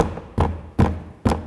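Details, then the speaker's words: VW T6.1 van door after insulation foam and speaker install, tapping the door panel: short buzzy rattles from plastic parts touching plastic inside the panel. "There is something else. I've already found it too. These parts here. They just touch each other. Plastic on plastic."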